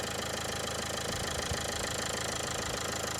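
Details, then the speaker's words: 2015 Dacia Logan MCV petrol at idle, before warm-up and oil change: a steady light tick at about three per second. Suspected lifter tick; not confirmed. "It's got a bit of a lifter tick, so we're going to chuck in some of this hydraulic lifter additive and see if it's going to make any difference."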